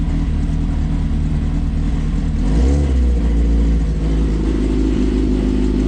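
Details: Smart car fitted with a GSXR motorcycle engine (AWD wide-body build, dual chrome side pipes), first start-up on a new servo electronic throttle with foot pedal: strong low hum swells into a quick rev and settles; pulls cleanly, normal revving.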